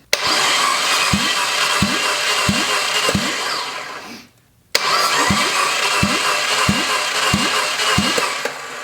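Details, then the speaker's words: Junkyard Fiat 500 MultiAir engine cranked during a dry compression test, with slow, uneven weak thumps; this cylinder reached only about 60 psi against the 100 psi minimum, and a bad head gasket is suspected. The test method may be flawed. "But that cylinder got like 60 PSI, I think, was the best I saw on there. Maybe we have a bad head gasket on this guy, who knows."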